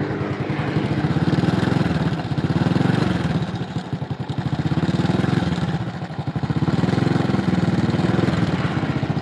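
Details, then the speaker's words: Honda Supra X 100 (NF100), unserviced for three years, revs rising and falling: rapid rattling chatter from the engine's left side. The cam chain tensioner roller is worn out or stiff. "masalahnya roll ketengnya Wah habis kalau nggak habis ya kaku yang udah 3 tahun ya"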